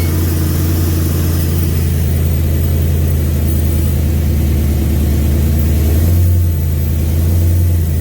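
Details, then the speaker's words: 2000 5.3 LS swapped into a 1992 C1500 on a reworked standalone harness, tuned: heavy V8 idle sags and stumbles toward stalling as fuel pressure drops once the pumps get hot; misfire from low fuel pressure, later traced to the fuel pump. "so our issue right now with this is that once the pumps are getting hot we started losing fuel pressure"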